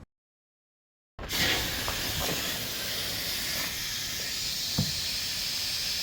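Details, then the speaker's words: Beater car that sat for a long time, tire being inflated: a sudden loud, steady hiss of escaping air that never lets up, with many bubbles; the tire is leaking badly. "it sounds like it's leaking really badly. >> I see a lot of bubbles coming out."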